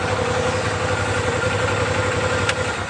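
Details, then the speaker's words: Stock 2014 Arctic Cat Wildcat 1000 EPS, fuel injected, 8 miles, just started easily: a steady, even idle with a smooth low rumble, no knocks, misses or smoke. Healthy engine. "Let's go ahead and crank it up. Starts easily. Of course, these are fuel injected. Runs good, no smoking."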